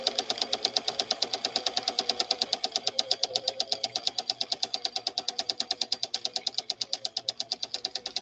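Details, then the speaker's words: Unboxed Swedish machine running after shipping: rapid, even thumping several times a second that doesn't settle, with a hot burnt smell from the back; something inside is binding, testing stopped, not normal. "if your Swedish beauty sounds like that know that that's not the way it's supposed to sound"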